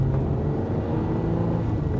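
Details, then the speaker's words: Alfa Romeo 80s Italian sports car with transaxle 5-speed gearbox driven on the road: smooth low V6 rumble holding an even note, no rattles or whines; engine, clutch and gearbox feel very nice; normal running while driving. "the driving position is that 80's Italian sports car thing of look at the steering wheel in comparison to my legs it's there when it should be over there but the engine and the clutch and actually the gearbox is very nice"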